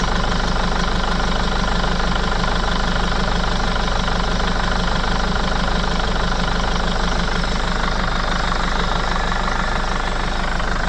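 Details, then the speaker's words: Mercedes Sprinter 311 CDI diesel idling. A steady, even puffing tick, roughly three a second, over the clatter as one injector leaks compression (black death), shown with spray. Blowing injector seal. "I'll start it up and spray a bit of spray there and you can see it's spraying out"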